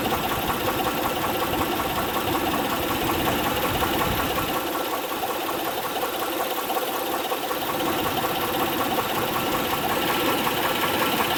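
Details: 2006 Honda Pilot 3.5L V6 at idle with steady light tapping, two to three per second, over the engine hum. Spark plugs, timing belt tensioner and injectors were checked without result; valve cover removal found a worn camshaft lobe, so camshaft, PCV and gaskets were ordered.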